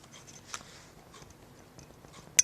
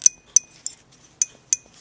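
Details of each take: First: 1927 Atwater Kent Model 37 radio speaker: the reed spring pushed down and up by hand gives sharp clicks, firmer in one direction than the other, showing the reed armature is off-centre; pressure should be equal both ways. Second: 1927 Atwater Kent Model 37 radio, sound unit: reed spring clicks moved one way, then the other, are crisp, bright and nearly identical. After adjustment it takes equal pressure both ways and the reed sits centred and even.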